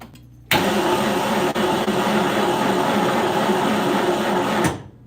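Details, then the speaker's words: Plymouth engine that won't start after rebuild, cranking during compression test: even, fairly quick cranking about four seconds with no firing, spinning too freely; compression around 60 psi, not improving, air leak heard on leak-down; low compression. "right so I am going to turn the engine over just see how much compression we're getting this the other day we did and we're getting like seven 7 so I'm going to just check if we're getting similar to that just you know because yeah like 60 which is not ideal whatsoever"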